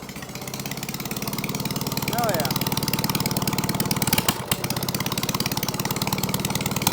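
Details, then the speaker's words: Case trencher engine, long unrun, started with a jumper wire, with its cooling fan not hooked up and run briefly before the exhaust was fitted: a steady, even chugging beat with no knocks, misses or surging, shut off before overheating; runs good. "yeah thing's good shut it off for the engine gets too hot cooling Fan's not hooked up that runs good hell yeah that's a win"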